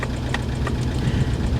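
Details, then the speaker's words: Jaguar at a salvage auction lot, low on fuel: deep, lumpy, weak idle with uneven thumps; suspected not running on all cylinders, cause unconfirmed. "that doesn't sound very powerful it doesn't i don't think she's running on all of her cylinders"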